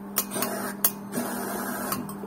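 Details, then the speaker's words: Fuel injector from a VW Golf 3 single-point injection, on the bench, pulsed while being cleaned: sharp separate clicks each time power is applied over a faint steady hum; injector opening and closing normally. "plus we connect the case minus listen to the count and fine and then just clicking on creating pressure"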